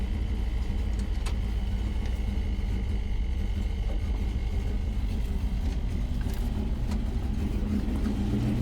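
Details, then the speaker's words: Original unrestored 1954 Ford F-800 fire truck with five-speed transmission, just push-button started: low soft rumble at steady slow idle, no knocks or stumbles, fires right up; normal idle. "Push button starts over here. The old girl fires right up. So, you have a five-speed transmission."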